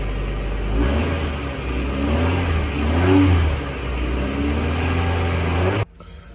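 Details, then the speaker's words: Muffler just installed as part of a whole new exhaust system on a 99 Honda Civic winter beater (108k miles), replacing a loud exhaust where the catalytic converter pipe fell apart; smooth idle, brief rev, no blowing, ticking or rattle; normal exhaust note. "got the muffler all mounted up in place start it up and see the sounds like"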